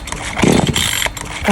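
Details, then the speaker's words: Carburetor small engine tool after carb rebuild with new fuel line (old one perished, leaking), choke on, carb not yet tuned: short uneven starter-pull cranking bursts, never catches; no-start. "นะครับผมก็ยังไม่ได้เรื่องนะครับเดี๋ยวผมจะจูนสเต็ปของผมนะครับนี่นะครับสทารให้ดูว่ามันไม่ติดนะครับ"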